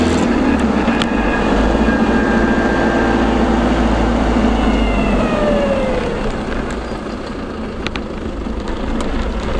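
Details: Land Rover LT230 transfer case, recorded driving with sound proofing on: thin whine above road rumble, pitch shifting slightly with speed.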